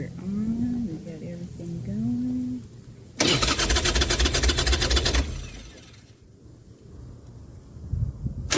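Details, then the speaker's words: Harley-Davidson started in neutral with petcock on: starter cranks about two seconds, engine catches cleanly into a steady, loping idle; normal start and idle. "Everything working right."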